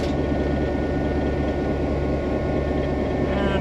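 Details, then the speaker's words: 1949 EMD F7A diesel locomotive under a load test after main generator bearing repair, amp meter reading about 600 A, pulling against the brakes: deep steady drone, no surging or knocking; soft, good load, normal running. "there she's coming up this thing has a very soft load it's a actually an excellent passenger locomotive"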